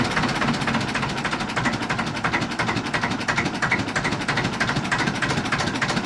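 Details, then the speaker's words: 1950s Ailsa Craig RL2 raw-water-cooled twin-cylinder narrowboat diesel just after starting: steady, even, regular chuffing at about three beats a second. Healthy idle. "oh wow oh listen to that that is the sound of the canals"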